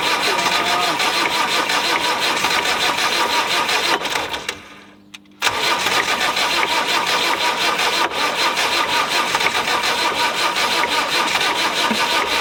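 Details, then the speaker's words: Land Rover 90 naturally aspirated diesel, not started in 8 years, cranking in cold snowy weather: steady rhythmic slow starter chugging with a pause, and it never fires. The batteries are going flat. "i was so close so close problem is all my batteries are going flat"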